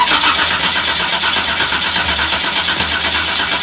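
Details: Nissan GTR R35 V8 1,500bhp dry-sump drag car, unstarted for about 6-7 years: steady starter cranking, an even churning rhythm near three turns a second with no firing. The engine is spun over to prime oil, but no oil pressure is coming up yet.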